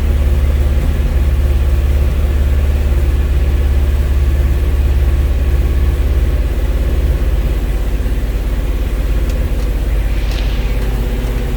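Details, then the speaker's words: 1971 Alfa Romeo 1750 GTV, manual, cold: a fast, steady, deep idle rumble with no misfires or knocks. The idle is high while cold but otherwise smooth; it may need adjusting. "idle was a little bit high because the engine was cold but uh it it will need to be maybe adjusted"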